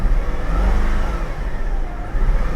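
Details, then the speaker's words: Salvage Cadillac with about 165,000 miles, low coolant warning, first start: deep, lumpy engine note stays rough and uneven with light throttle and never smooths out; persistent bad misfire. "yeah she runs but she's got a Miss let's see if it goes with a little bit of gas"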